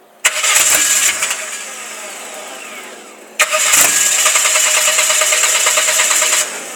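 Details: Saturn SW2 misfiring again even with new plugs fitted: it cranks, catches twice, then settles into an uneven, stumbling idle. There is oil on the cylinder 2 and 4 plugs; the owner suspects the valve cover gasket.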